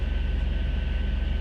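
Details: 2000 Jeep TJ inline six, high mileage, after replacing crankshaft sensor with torn wires that caused crank-no-start: steady, even low rumble with smooth, unchanging pulse; normal idle.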